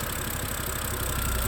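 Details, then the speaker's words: 2011 BMW E90 M3 idling after new valve cover gasket and CCV valve, smoke from rear: short lumpy uneven idle with unsteady low beat; codes for cylinder 2 misfire and banks 1 and 2 lean. "but it says that cylinder number two is misfiring and it also says that um Bank bank one a bank two to lean and then flow to air something something"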